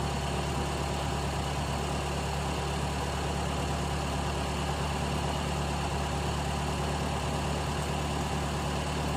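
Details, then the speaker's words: Carbureted car on gas fuel, reducer regulator pressure lowered, set at two full turns, tank getting very cold: steady even idle rumble, no hunting or dips; stable idle. "suara mesin tambah agak tambah stabil ini pas dua putaran ya dua putaran penuh"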